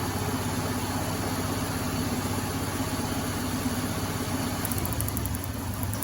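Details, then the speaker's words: 2010 Subaru Forester/Legacy misfiring despite new spark plugs and wires. Lumpy, stumbling idle; a test-light cylinder drop test shows no spark on one cylinder: failed ignition coil. "there you go this ignition coil is bad that's it that's how simple it is"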